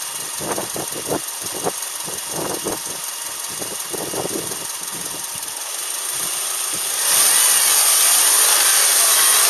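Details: Subaru Outback EJ253 (EJ25) engine bought with a damaged engine, recorded before and after rebuild: sharp knocks about three a second over a rough idle, following engine speed; deep internal knock, cause not pinned down.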